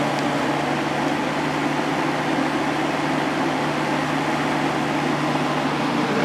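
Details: Vintage Kel Aire model 7000 box fan with a 3-speed Marco/McMillan motor, running on high after the motor was cleaned and oiled and the blade, grills and frame were washed. A steady, even whoosh of air with a low constant hum and no ticking or rubbing; it runs smoothly.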